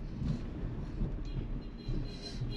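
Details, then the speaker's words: Hyundai ix35 2.0 automatic after replacing worn suspension bushings that were making noise, on a test drive: steady low road rumble from the cabin with no clunks or knocks; front suspension now quiet. "bichinho ficou silencioso turma"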